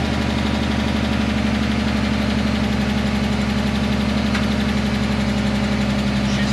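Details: 2010 Dodge Charger 3.5L V6, cold start after timing belt, water pump and thermostat replacement: fast, light lifter tick at about four per second over a rough cold idle. This is described as normal for this engine until oil pressure builds.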